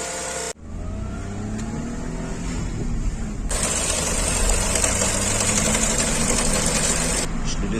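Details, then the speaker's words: Renault Clio 4 1.2 TCe after timing chain repair, restarted with fresh oil: steady, even idle with a smooth low rumble, the earlier under-hood clacking gone, power restored; engine sounds healthy while warming up. "ça n'a plus rien à voir hein ça plus rien à voir vous entendez le bruit plus de claque"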